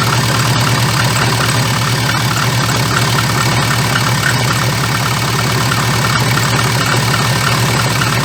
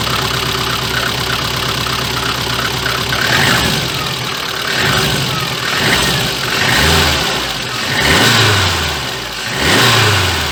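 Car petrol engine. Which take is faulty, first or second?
first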